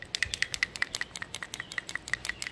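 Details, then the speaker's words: 2001 Ford F-150 4.6L 2WD with rough idle, surging and power loss: old PCV valve, found dirty and not inserted into the block, shaken by hand gives a dull plastic rattle instead of a crisp click; dirty, sticking PCV valve. "I don't know if you can hear that. Almost like a piece of plastic shaking in another piece of plastic. No real change noise to it."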